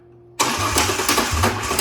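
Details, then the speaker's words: Ranger six-cylinder with new spark plugs, plug wires and MAF sensor, starting after fix attempts; lumpy uneven idle with surges and stumbles; misfire. "So, I wonder if they were misfiring or wasn't firing at all and we just had the wires right the first time."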